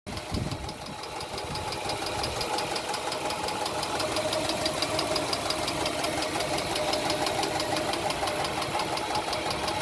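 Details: Car started: idling engine with a steady, sharp ticking several taps a second, loud enough to hear from the house, and present ever since it was first started; cause unknown.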